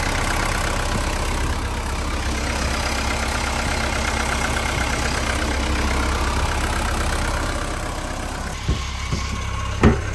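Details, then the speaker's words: Old Mercedes 123 diesel with automatic gearbox, left five years in a backyard, battery voltage 12.2 V (owner suspects the alternator isn't charging): steady idle with a light irregular rattle underneath; source not pinned down. "слушайте тарахтит ляга что-то"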